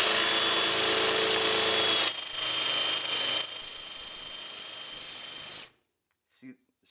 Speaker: hear that squeaking if it's squeaking you're doing the wrong thing it should never squeak like